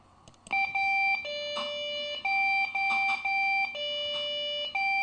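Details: Desktop PC that suddenly won't boot: loud beeps alternating between a higher and a lower pitch, repeating over and over with no sign of booting. It is a POST beep code warning of a startup fault.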